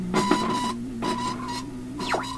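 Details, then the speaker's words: Philips Sonate BA581A vacuum tube radio: wobbly, warbling tone climbing in pitch as the tuning dial moves, in short bursts; cause unclear, owner thinks it needs alignment. "as you can hear a a low tone or a wobbly warbly tone as i move this up"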